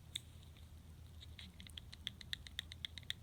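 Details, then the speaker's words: Gerber Kettlebell folding knife, new and unused, pivot already tightened to cure severe side-to-side play: quick light metallic ticks about four a second as blade is rocked, showing remaining up-and-down blade play; very stiff lock bar tension. "If you can hear that. And I did tighten the pivot slightly to get rid of the horrific side-to-side blade play that it had."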